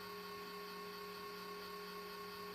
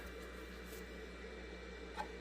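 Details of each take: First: Red Bull VC206565008 countertop LED Eco mini fridge, original 12V Jamicon KF0510S1MR-R sleeve bearing exhaust fan running with a steady buzzing whir and hum growing louder midway; fan replaced as fix. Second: Red Bull VC206565008 Eco LED mini fridge with a cheaper aftermarket fan replacing the original 12V Jamicon sleeve-bearing exhaust fan: soft, steady airy hum with no bearing growl or ticking. Quiet, healthy fan.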